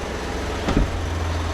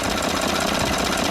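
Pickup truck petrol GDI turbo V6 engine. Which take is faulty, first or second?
first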